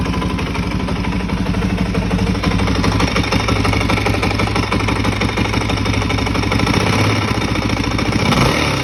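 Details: Suzuki DRZ400E with 430cc big bore kit and Vertex piston, bought as-is, running near idle: rough uneven knock riding on the exhaust beat; source of knock unknown.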